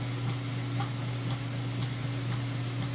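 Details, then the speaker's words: Whirlpool Ultimate Care Super Capacity Plus top-load washer, 8-cycle 2-speed motor, full heavy load: steady motor hum with even back-and-forth tick about twice a second, cycling strong and soft agitation; normal. "And agitation works great."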